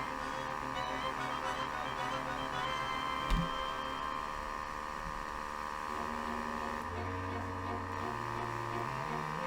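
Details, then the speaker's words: 1934 Philco Model 45 tube radio, first power-up before restoration; steady low hum under muddy distorted sound with tones stepping in pitch. Owner suspects one of the old paper capacitors is the cause. "Oh changing tones so with all those paper caps in there it's no wonder it sounds like crap I'm sure one of these is causing that"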